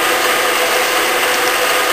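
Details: Bridgeport milling machine, motor running, quill lock unlocked, feed direction knob pulled in and out: short gritty ratcheting chatter as the power quill feed gears mesh, a clean engagement with no grinding; normal quill feed gear engagement.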